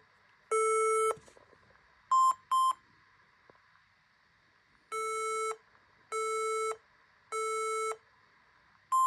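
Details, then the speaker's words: HP laptop that won't start, keyboard blinking: repeating five-beep cycle (three long, two short) at power-on, signalling memory failure. "so guys I've counted and that bleeping noise was a cycle of five times if your laptop is making that same noise then this is what you need to do"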